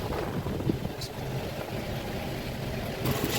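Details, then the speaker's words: 2016-17 Ford EcoSport petrol, code P0302 cylinder 2 misfire: lumpy uneven rumble with irregular low thuds, won't rev, lacks power, stalls; check light on, coolant low, water found in cylinder. "देख सकते हैं कितना jerking कर रही है आवाज इसका sound देखिए लग रहा है कि इसमें शक्ति नहीं है गाड़ी में।"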